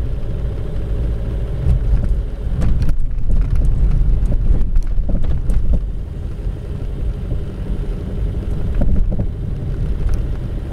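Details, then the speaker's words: Coasting with the engine off over bumps on a paved road: dull, heavy rubber-on-rubber thuds from the rear at each bump, not a metallic knock, traced to a worn rear suspension joint bushing. "الصوت واضح، أما صوت من الخلف أما صوت قوي من الخلف."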